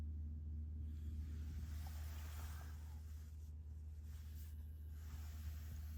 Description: Volvo XC40 (2024): buzzing noise issue from the dash panel when changing the interior lighting mode (dimming).